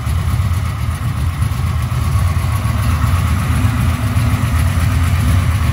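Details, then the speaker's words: 1996 LT1 383 V8 with Holley Terminator X EFI on an engine test stand, open headers, fuel pressure about 41 psi: deep rolling lope, loud rumble, uneven but rhythmic beat; normal lumpy big-cam idle. "now it's doing some good loping"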